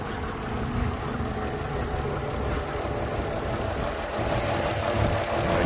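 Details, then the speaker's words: Yamaha outboard on a Pursuit 385 boat with a lumpy idle that still misfires after injectors 2 and 6 were swapped. Cylinder 6 is still missing with fuel confirmed good, and a lost signal to the coil is suspected. "still missing [Music] number six here still not do nothing that makes me think maybe we've lost a signal to our coil here"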